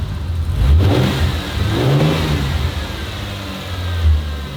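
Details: Newly refurbished engine in a turbo Ford Fairlane build, running an hour after its first start once oil was added. Clean revs back to a settled idle with audible injector ticking; the injectors have always been loud. Healthy.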